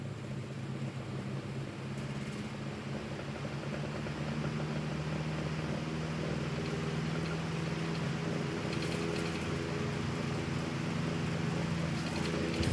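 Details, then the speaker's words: 12" antique Emerson desk fan before restoration, running at medium: steady motor hum with rough buzzy drone, oscillation barely working; noisy from dry, unoiled motor bearings. "you can you can hear it's pretty noisy because of because of the no oil thing because it doesn't have any oil"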